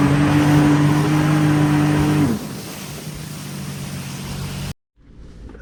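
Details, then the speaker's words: 2007 Sea-Doo RXT supercharged jet ski during water test: steady low droning hum until revs drop, unhealthy pump note; owner suspects scored wear ring despite a brand new prop, pump rebuild planned. "Brand new prop. Wear ring got scored because that sounds terrible. Pump rebuild."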